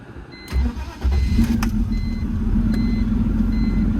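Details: BMW E46 in about 116°F heat, after fuel and spark work: dash chimes, a brief starter whirr, then the six holds a smooth, steady idle. One injector was later seen pouring fuel and needed reseating: normal start.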